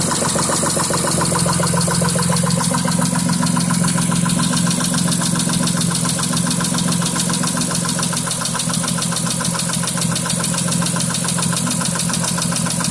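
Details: 2006 Mitsubishi Eclipse at idle, knock began right after an oil change with Royal Purple 5W-20 plus new cam and oxygen sensors; now a cylinder 5 misfire code: steady idle with a regular light knock, three or four a second, cause unknown.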